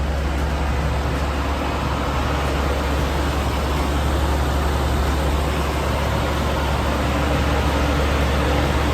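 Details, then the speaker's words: Nissan Stagea after loosening an over-tight timing belt, warming up: smooth, steady idle rumble with no slapping or loud rattle from the front; the belt adjustment cured the earlier noise. "Well, that took care of the noise for sure. Just letting it warm up."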